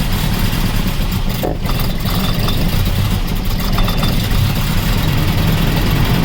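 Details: 1985 Toyota van sitting 11 years, running on a fuel mix with carb cleaner, ATF dripping, apparently from the dipstick tube: rough, uneven low rumble as it catches on poured-in fuel and stumbles; fuel delivery problem suspected, unconfirmed.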